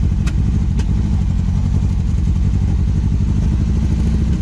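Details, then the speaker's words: 1974 MGB with SU HIF4 carburettors, wrong needle float fitted: deep, lumpy, uneven idle that stumbles instead of settling, running badly; fuel starvation because the float level is set far too low. "it is running like dog crap what is that what would cause this the floats are good the needles are good"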